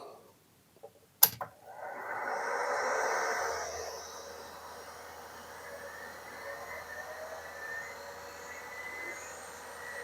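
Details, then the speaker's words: Atari Megafile 60 hard drive (UK 220-240 V, bought as described working), first power-on: click, then rising whir settling to a quiet steady hum, no roughness or heads catching; normal hard drive spin-up. "the hard dis doesn't sound rough doesn't sound like the heads are catching so far I think this is okay"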